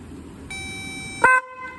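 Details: Car horn powered directly with a Power Probe 3: a steady, bright horn tone for about a second, then swelling into a louder blast; the horn works.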